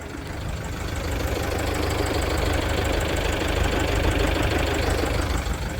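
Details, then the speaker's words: 2001 Toyota Land Cruiser Prado J90 3.0 diesel, 370,000 km, warm idle: a light, steady knock about three times a second that disappears when the clutch is held in, from the worn clutch pressure plate. "which is actually the uh clutch pressure plate. because when the clutch is held in, the sound disappears."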